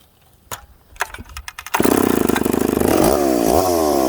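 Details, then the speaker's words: McCulloch Pro Mac 850 chainsaw with an expansion pipe, cutting rock-hard maple, only a cut or two to avoid overheating. A few pulls, then it catches and screams, revs climbing and holding cleanly into the cut. Normal running; completely different saw with the pipe. "wow friends this is a completely completely different saw now"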